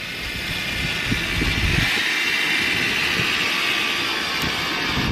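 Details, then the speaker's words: BMW 7 Series power tailgate won't raise on key button, lifted manually; strained raspy motor drone from the boot lift motor; suspected failed motor, leaked hydraulic fluid from reservoir, or struts, not confirmed. "now the noise seems to stem from the motor itself which is just here"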